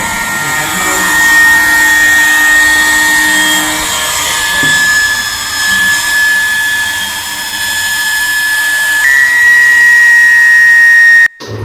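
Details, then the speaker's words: Industrial sewing machine clutch motor: steady high-pitched whine with a hissy, rough edge as it spins, very loud dry bearing noise; fix is opening the cover and oiling the central bearing with engine or machine oil. "Hello friends ನೋಡಿ ಈ motor ಅಲ್ಲಿ bearing sound ಯಾವತರ ಬರ್ತಾ ಇದೆ clutch motor ಅಲ್ಲಿ bearing sound ತುಂಬಾ ಜಾಸ್ತಿ ಬರ್ತೈತೆ"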